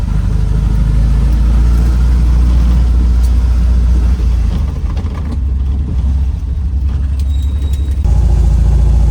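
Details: 1967 VW Type 3 Squareback, air-cooled engine, first drive after engine install; deep throaty note pulling strongly through the revs, no knocks or misses, feels more powerful than before, normal acceleration.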